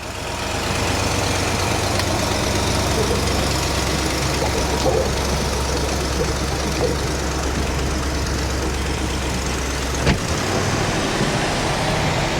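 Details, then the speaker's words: 1966 Ford Thunderbird V8, revived after years of neglect: steady, even drone noticeably faster than a relaxed warm idle; idle speed set too high, needs dialing in. "can't believe how good it sounds huh sounds like it's idling a little high"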